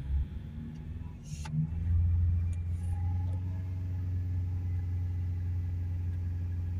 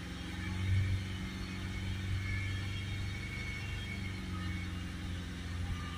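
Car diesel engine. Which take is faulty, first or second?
second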